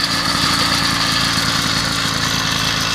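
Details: 80cc motorized bicycle two-stroke after clutch bearings were regreased and the clutch nut Loctited for more pressure-plate pressure: crisp, even rapid idle holding steady without the clutch grabbing, stumbling or stalling.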